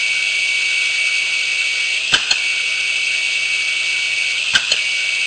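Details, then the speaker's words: Failed hard drive powered up for diagnosis: a thin, steady high squeal, which is the drive's alarm code, with pairs of sharp knocks about two seconds apart as the heads move. It is not damaging the platters. "Okay, now those noises that you're hearing, they're not damaging anything. They're not damaging the platter surface. They're not. The squeal is basically an alarm code from this particular type of drive,"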